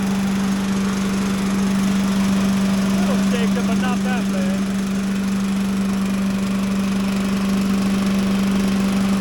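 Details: Little Wonder leaf blower with a small Briggs and Stratton engine, started on choke with a little throttle: a steady, even drone at constant pitch with slight roughness. Normal running.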